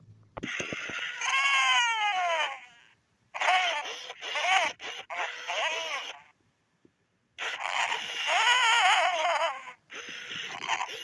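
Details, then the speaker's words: 1998/1999 Furby with a burnt-out speaker: squeaky voice bursts heavily crackling and distorted, pitch dropping and rising, worsening toward a mute Furby. "You can still somewhat hear what the Furby is trying to say, but you can really hear the crackling. So she'll eventually turn into a mute Furby if I don't replace the speaker."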